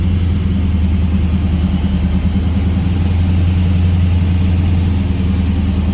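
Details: 1979 Camaro Z28 with a McLeod Super Street Pro clutch, whose random noises with the pedal pressed were traced to a greased pilot bearing: steady, even low idle hum with no chirp, squeal or rattle; normal idle.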